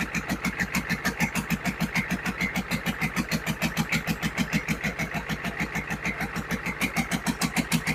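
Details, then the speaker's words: GEP/Navistar 6.5 diesel, rebuilt (Scat crank, 30 over, moly pistons), Stanadyne DB2831-4911 pump, on a stand: even steady clatter about 200 pulses a minute, no misses or knocks; barely shakes on the stand, unusually smooth for this build; normal idle. "Well, this is one of the smoothest motors I've built. Usually they're shaking around on the stand a little more. This thing's really smooth."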